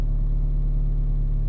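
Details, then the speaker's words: Old Honda Civic, idling: deep uneven low rumble with lumpy shaking beat and rattle, steering wheel vibrating up and down; rough idle, cause not confirmed. "it's vibrating up and down like i can't even i can't even grab it and stop it from vibrating this thing just rattles it makes a lot of noise"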